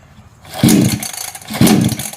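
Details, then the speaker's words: Small two-stroke grass trimmer after replacing a leaking fuel line fires and revs in two quick bursts, catching cleanly with no sputter; running normally again. "ก็ยังไงอ่ะก็แสดงว่ากลับมาใช้ได้ปกตินะครับ"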